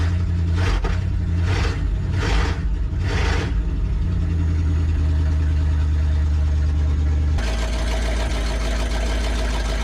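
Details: Abandoned 1963 Loadstar truck V8, after carburetor work: deep, steady rumble holding an even idle, with a brief throttle change near the end; engine running properly.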